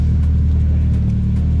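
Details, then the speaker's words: Toyota Celica being prepared for a track day, just fitted with a new Gravity exhaust: a deep, steady low rumble at idle with no rattles, puffs or blowing leaks. The new exhaust sounds sound and healthy. "That sounds so much better already."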